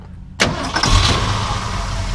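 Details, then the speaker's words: 1968 Ford Highboy F250 4x4 survivor, after tune-up, radiator flush and brake work, dual exhaust: short starter whir, catches right away and settles into an even, deep, fairly quiet idle with no ticks or rattles; healthy. "know it's not overly loud it's got dual exhaust it's actually pretty quiet"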